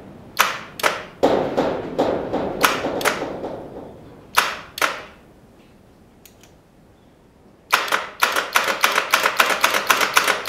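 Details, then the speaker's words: 1975 Moto Guzzi T3 parked about five years in a barn: starter gives sharp irregular clacks with no turnover on the first start attempt; the engine is seized. "that sort of sounds like a seized engine oh crap well yeah looks like the engine is seized"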